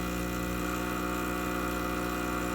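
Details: Lelit espresso machine after pump replacement for zero pump pressure: steady, even buzzing hum from the new pump under load while pulling a shot, no surging or rattle; pump working correctly in post-repair test.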